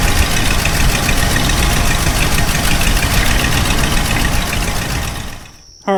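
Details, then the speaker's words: Ford F250 460 V8 on a Holley Street Avenger 670 CFM carb: loud, lumpy, shaking rough idle that cuts out; the idle screw gives either too high or too low, and the original Motorcraft carb idled perfectly. "the problem is when you're sitting at an idle it's just so rough and you know I've tried adjusting the idle speed screw and there's no middle ground for this it's either revving too high or it's revving too low and just shak"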